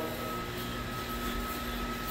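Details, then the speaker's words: Firetrol fire pump system with the diesel fire pump turned off for flow testing: small jockey pump runs with a steady, even hum, constant faint tone and airy hiss while refilling the system, no surging or knocking; normal jockey pump running. "you could uh hear this little thing running. So, the air coming out. So, this little jockey is filling up the system right"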